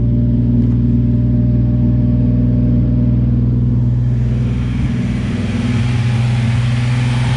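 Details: Nissan 350Z engine's first start after replacing the upper oil pan, damaged because of a leaking oil pressure sensor now refitted with thread locker; lots of white smoke. Steady, even idle with a deep low drone, no knocks or ticks, settling smoothly after start-up.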